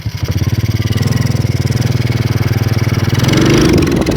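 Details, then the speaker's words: Karisma motorcycle that dies suddenly after a short ride: engine thumps at about four beats a second, picks up briefly on throttle, then cuts out as if out of fuel; ignition coil and pulser suspected at fault. "Oh, sudah mati, teman-teman. Gas, dan hewan itu langsung mati. Seperti kehabisan bensin."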